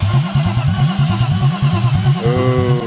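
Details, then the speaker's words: BMW E36 with M50 B25 engine after valvetrain/head work and timing chain redo, cranked to prime until the oil pressure light goes off, clutch not pressed: steady starter cranking with even compression pulses about five a second, no firing; healthy priming crank. "Yeah, just crank it till the oil pressure light goes off. Don't push on the clutch."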